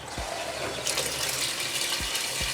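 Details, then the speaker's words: LG washing machine after repairing a broken wire to the water inlet valve that stopped water entering the tub: steady hiss of water rushing in without cutting out; inlet valve opens and fills properly. "Oke teman-teman berhasil Airnya masuk terus dan sedikit terdengar ucapan hari Ibu tuh"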